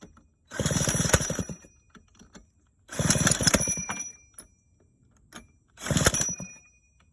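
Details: 1985 Honda Spree two-stroke scooter with hard starting: three short bursts of rapid popping, each fading within about a second, as the engine catches briefly but won't keep running.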